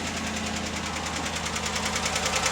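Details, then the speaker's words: 2017 Chevrolet Silverado 6.2 L V8 (AFM/DOD) at idle: rapid, sharp, even ticking in time with the engine; collapsed/broken exhaust lifter on cylinder 4, passenger bank, which had bent a pushrod. "we're gonna replace the broken lifter in this engine. It's a 17 Silverado with a 6.2 liter, and I'll start it up just so you can hear why we're replacing the lifter."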